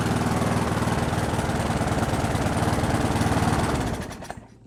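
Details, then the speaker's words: Brute mower, Briggs & Stratton Classic engine, after swapping in a governor spring with its kink straightened: chugs steadily then winds down and dies near four seconds; spring too slack to hold throttle open, fix is bending the tab. Weak governor spring tension. "Alright, so what's going on is because I took the kink out of that spring, it's not providing enough spring tension to keep the throttle open."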